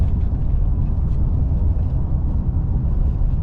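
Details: Constant deep, low droning roar with no clicks at steady road speed on a 2009 Ram 1500 Hemi 2WD with 423,000 miles, on a 57°F morning; a worn front wheel bearing (hub assembly), later replaced.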